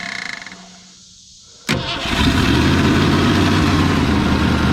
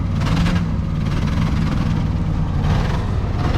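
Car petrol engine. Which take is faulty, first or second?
second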